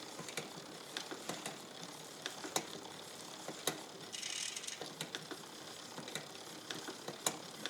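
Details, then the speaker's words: Mountain bike with a newly installed SRAM XO Transmission wireless drivetrain being adjusted on the stand; quiet, uneven light ticking and clicking from the chain as the cranks turn, still noisy and skipping after adjustment; cause unclear; drivetrain chain noise. "not getting much quieter oh maybe there's something else on the bike you fix one thing and something else breaks no there's something goofy going on because I got some kind of skiing going on"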